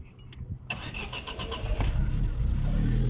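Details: Non-running Opel (Vauxhall Corsa tagged) at an Opel specialist; the customer says it won't rev up and it still has to warm up to idle. A brief crank, then the engine catches and settles into a steady, deepening rumble as it picks up, running cleanly.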